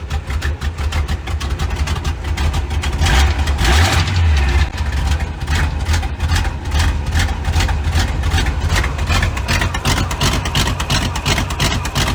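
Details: V8-swapped 1972 Mazda B1600 after transmission reinstall with new flex plate, everything torqued (old one thought loose): low, even V8 burble at idle with no knock or rattle; healthy and settled.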